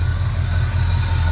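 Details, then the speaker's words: 1966 Ford F-250 after restoration, dual exhaust at idle: even, deep, steady idle with smooth low pulse, no ticking or exhaust leaks, no smoke after valve stem seal job; headers with metal gaskets. Normal idle. "Here's our dual exhaust. Sounds good, no smoke cuz we did the valve stem seal. Just a good running truck."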